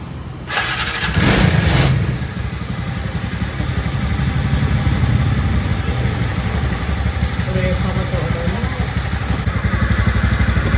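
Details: TVS NTORQ scooter engine after its noise was fixed: short burst of cranking, then the engine catches and runs steadily with no knocks or rattles. Normal running.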